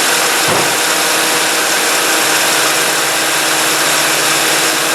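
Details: 2005 Toyota Matrix with A/C on after replacing the radiator cooling fan motor, which had vibration and play: a brief thump, then a steady airy rush with an even hum, running smoothly and normally.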